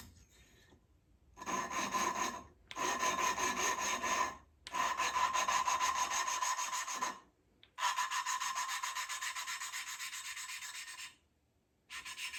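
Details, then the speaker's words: Triumph Spitfire cylinder head: rhythmic back-and-forth rasping, about four strokes a second, in bursts, lapping a valve with compound; coarse at first, softening as the valve beds into its seat and is good to go. "I could hear it you know, it sounds very coarse to begin, and then it slowly gets quieter and quieter, and you can tell that's pretty much when it should be good to go."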